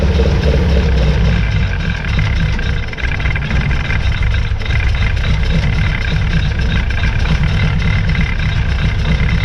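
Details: 1966 Austin Healey Sprite during rebuild, running on its own after hand-filled carburetor float bowls (fuel was pouring out of the carburetor); low, uneven idle with occasional stumble and dropped beats. The engine is missing, but oil pressure is good. Owner plans to drop the tank and do a full tune-up.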